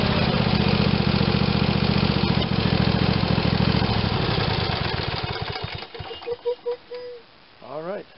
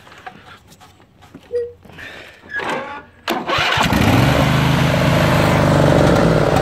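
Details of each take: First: Craftsman tractor, Briggs & Stratton 22 hp OHV twin, test run after full carburetor rebuild for running poorly and only on choke: runs even and steady with a firm low beat, then shut down; sounds healthy. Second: Craftsman tractor, Briggs and Stratton 22 hp OHV twin, restarted after sitting a couple of years, on a jumper pack: loud, slightly uneven beat; runs well on choke, terrible without, from a dirty carburetor.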